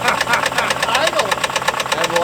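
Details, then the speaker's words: 1959 Buick 364 Nailhead, first run since early 1970s, oil pressure gauge halfway: sharp, even knocking about seven times a second at idle, loud over a quiet exhaust; rod knock suspected. "that thing sounds really bad well she's uh the exhaust is quiet anyway yeah it allows you to hear the horrifying rod much better is that rod knock it's gotta be"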